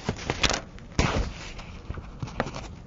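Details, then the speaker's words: Geiger counter with polonium-210 alpha source blocked by folded paper: only a few scattered irregular clicks remain, the slow random count of natural background radiation. "notice the clicking has stopped the only clicking we hear now is again due to the natural background radiation"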